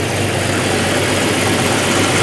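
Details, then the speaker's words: 1989 Jeep YJ after a new exhaust system was installed: smooth, even idle with a steady low rumble, much quieter than before, no ticking or puffing from the front pipes and no leaks. "Moment of truth. Much quieter. If you remember back at the beginning of the video how noisy this was."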